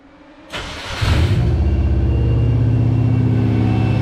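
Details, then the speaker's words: 1995 Subaru Impreza L caged track car with EJ20 engine, newly wired harness, in neutral: short crank then it fires into a smooth, steady idle with even low beat and no ticking; healthy start. "it runs, it's alive. I'm pleased, I'm happy. I don't gotta push this thing onto wherever I gotta push it onto. Sounds healthy."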